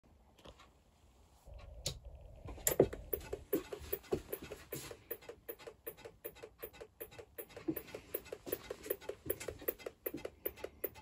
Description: These are the issues that I was originally having with my 1986 Apple Macintosh Plus 1MB - no video output, no boot "bong", and a consistent "ticking" noise on startup that sounded like the internal power supply was going into self-protection.